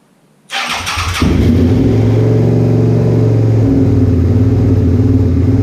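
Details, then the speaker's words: 2001 Suzuki SV650S V-twin after valve shim change and carb work, first start: catches fast, settles into steady but quick idle, tach reading 1500–1600 though it sounds about 1300; idle screw must be backed out, idle set too high. "Alright, so I gotta bring that idle screw out because I can't get any lower than this. I don't think I fully nailed the tachometer because that looks higher than what I'm hearing."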